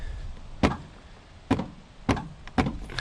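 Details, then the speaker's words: Craftsman DYT4000 mower with Kohler Courage 20 hp, powered by jumper pack, fuel solenoid clicking: several sharp solid clunks at uneven gaps as the electric PTO clutch engages. "can hear the pto so we're turning over"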